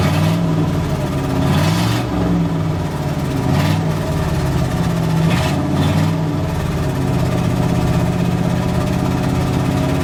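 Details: 1984 GMC truck, on a cold morning, fuel fed to the carburetor, 60 psi oil pressure: deep, steady V8 idle with a few mild throttle blips, no knocks or ticking, settling into a normal, even idle.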